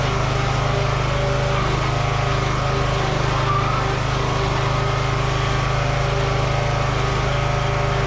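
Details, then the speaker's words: Toro 14.38Z zero-turn mower after ignition repair: single-cylinder holds an even, steady fast idle with no misses or knocks, running properly; slight smoky smell noted, possibly external oil. "it runs and works yeah all right Victory"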